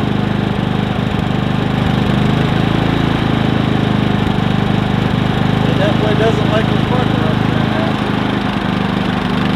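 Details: Predator 3500 inverter generator with 18 hours: steady, even engine drone at constant speed with no surging or stumbling; normal running.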